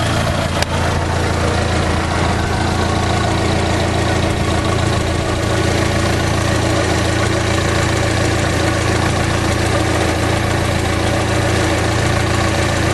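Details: Fiat Palio 2010 1.4 8V Fire, in for a tec-tec engine noise, idling warm after coolant flush work: steady, even idle with a smooth low hum and no tapping or knocking; normal, healthy idle.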